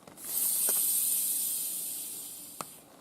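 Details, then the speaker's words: Maple sap tubing line under vacuum gives a steady, high, airy hiss from a sizeable leak, later traced to a leaking saddle connection. "that tells me there's a pretty good leak on this line so now I'm gonna walk the line and check it every connector stay tuned"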